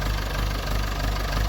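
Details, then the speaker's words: Massey Ferguson MF30 tractor, restarted after running completely out of oil when its drain plug fell out, then refilled: steady even low chug, sounds unchanged; normal running. "It doesn't sound bad. Doesn't sound any different than it used to. Still sounds good, so super blessing, super thankful right now."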